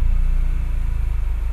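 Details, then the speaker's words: Engine warmed up after installing digital radiator fan thermoswitch (STC-1000, fan on 80°C, off 77°C): steady low rumble with even pulses, idle holding stable around 800 rpm as AC is switched on; normal idle. "coba kita Nyalakan ACnya dan ini enggak ada masalah ya enggak ada masalah di bagian ini ya Jadi untuk rpm-nya dia tetap stabil AC"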